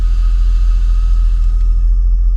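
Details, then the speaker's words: 2011 Lincoln MKX, engine running, heard inside with doors closed: thin steady whistle over engine rumble when the brake is pressed; soft pedal sinks to the floor, leaking vacuum brake booster, replaced. "It obviously has to be running because it uses engine vacuum. But let's bring you in for a closer look at what's going on here. So you can kind of hear that whistle."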